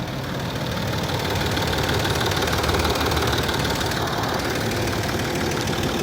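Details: Land Rover Discovery 3 2.7 TDV6 diesel, hot engine at idle: a steady, fairly even knock of about three per second rides over the diesel clatter; the knock appears when warm and its cause is unknown.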